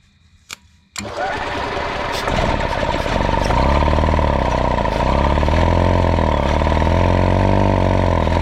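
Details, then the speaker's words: 1992 EZ-GO golf cart, 2-cylinder Robin engine that sat 16 years outdoors, started with starting fluid: cranks briefly, catches about a second in and settles into a steady low chugging idle with no stumbling and no smoke; normal idle. "run crap that is awesome I didn't see any smoke coming out Yeehaw that's awesome man sweet"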